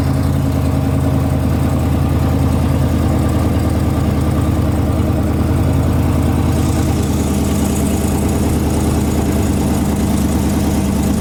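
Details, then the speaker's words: Cold idle on a lowered Mopar Hemi with a fast, light tick on the exhaust pulses that goes away once warm; owner is pretty positive it is an exhaust leak, not Hemi tick. "you could hear the tick pretty clearly and then eventually doesn't take too long once it gets warm enough that it goes away so that right there is an exhaust leak nothing to worry about"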